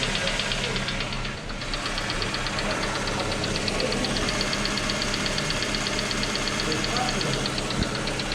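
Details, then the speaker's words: Engine knock at idle: a sharp, light metallic knock about twice a second, steady; it became slightly quieter but remains after replacing the hydraulic lifters and the oil pump plunger and spring; connecting rod/piston group also suspected, cause unknown. "вот он немножко стал потише но все равно он остался мы уже не знаю все смотрели уже сколько людей только не советовали разные варианты но ничего не помогает"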